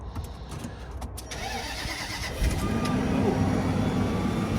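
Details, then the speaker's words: Supercharged Range Rover at a Copart auction, battery not dead, starting: it cranks and catches cleanly into a steady idle with an even supercharger whine; check engine light and a suspension compressor warning are on. "You hear that supercharger? Yeah."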